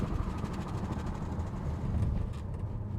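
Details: Wrecked Audi RS7 mid-rebuild on a road test at about 45-50 mph, window closed: quiet cruise with soft road and engine hum, no knocks, whines or clunks; runs clean with no overheating.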